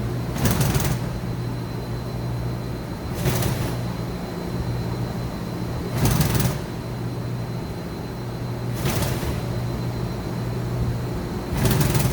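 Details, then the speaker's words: 2013 Mazak HCN 4000 Mark III Y-axis at 100% rapids: steady hum with short clattering rattle about every three seconds as the axis reverses, slight way cover chatter; ball screw sounds fine. "A little bit of weight cover chatter, but they're all flowing smoothly, and the ball screw sounds just fine."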